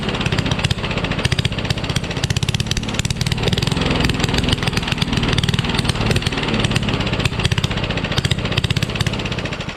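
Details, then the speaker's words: Rally push mower, Tecumseh Eager 1 engine, no muffler found: harsh, loud popping exhaust with uneven stumbling firing that never settles; runs rough, only starts with starting fluid, needs work. "i can't find the muffler and it's super loud too but it runs but runs badly hey at least it runs right"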